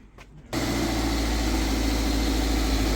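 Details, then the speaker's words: Toyota MR2 VVT-i after refitting catalytic converter to cure exhaust blow before MOT: engine settles into steady, even low idle, much quieter, no tractor sound, no puffing or exhaust blowing; normal idle, temporary fix. "already much quieter much better doesn't sound like a tractor and actually No Blows no exhaust blowing which is good news"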